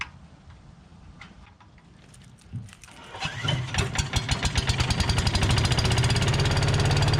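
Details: Tecumseh 5.5 hp engine on a long-sitting yard-sale MTD Yard Machines chipper/shredder, after two-stroke mix squirted in the carb throat: a cough, then it catches and settles into a steady fast beat running on its own fuel.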